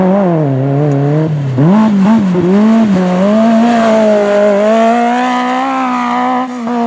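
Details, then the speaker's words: V8 Magnum super buggy race car on track with a new carburetor: the note wavers and flutters out when turning left or right; the float is thought to be set too high. A bottom-end hesitation was also noted. "i think we might be a little high on float because now when i cut it to the to the left or to the right i mean it's fluttering out"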